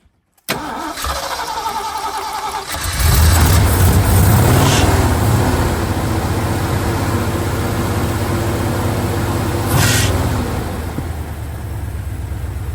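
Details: Jeep CJ5 on a trail that had not been running, cranked after the fuel filter was primed: starter spins a couple of seconds, engine catches, flares up and settles into a steady idle; starts and runs normally.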